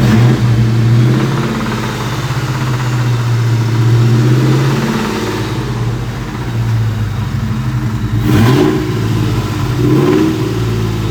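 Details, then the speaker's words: 2000 Mustang GT with knocking and oil pressure loss, during oil pressure test: after about 5 minutes idling, revving up and dropping back over idle gives a brief knock as revs fall; cold pressure 75 psi, later fell to 14 psi. "I revved it again and gave it some gas. And on del of the rev, it would uh you would hear the knock."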